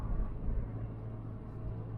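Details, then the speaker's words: Mk3 Ford Cortina 2000 GXL with BW35 automatic, driving past 30 and decelerating: deep steady low rumble under the engine note, seemingly from the driveline; suspected to be the propshaft saddle/bracket, to be adjusted, not confirmed. "you'll hear that Rumble now as we de accelerate you may well you may or may not there now I got Rumble now"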